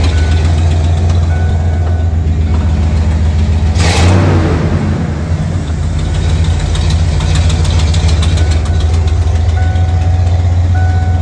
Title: 1989 f150 ignore the exhaust leak 😂